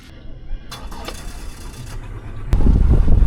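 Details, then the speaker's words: 2002 Yamaha 90hp four-carb outboard revived after sitting two years, carbs tuned without a sync tool: starts on the first try and settles into a steady, even low idle with no misses. "Got all the carbs tuned correctly. I don't have a um a carb syncing tool, but I did it to the best of my ability through here. Check it out. It starts first start each time."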